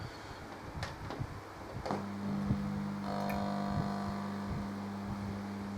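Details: Rebuilt ETI-480 50W power amplifier module on a new PCB with modernized components, driving a speaker: after a few handling knocks, a steady low mains hum through the quiet speaker.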